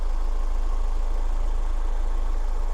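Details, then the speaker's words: 2003 Toyota MR2 Spyder TRD 5-speed four-cylinder with K&N filter, warm idle; smooth even low beat with no knocks, misses or ticks; engine sounds great, normal idle. "Engine sounds great, and it's a very easy car to service and work on."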